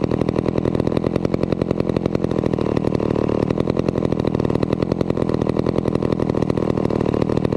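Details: Vintage McCulloch 250 chainsaw running after a restoration: fast, even two-stroke buzz holding steady speed with no misses or surges; runs smoothly and healthy.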